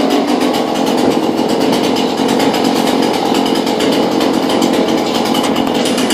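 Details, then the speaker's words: New Husqvarna two-stroke chainsaw just after its first start, choke and primer bulb used, chain brake off: steady, even buzz at idle with no surging, stalling or misfire; idles cleanly. "Pull and pull sounds a little better this should just sit idle"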